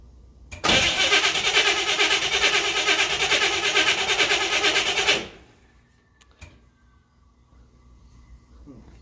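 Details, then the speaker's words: 1967 Camaro RS SS barn find, 15,000 original miles, sat 40 years: starter churns steadily about two turns a second for four seconds, never firing; cranks but won't start. Carburettor leaking fuel; ignition problem suspected, coil possibly bad, unconfirmed. "I don't like that carburetor already because it's leaking. Yeah. And we've got an ignition problem now."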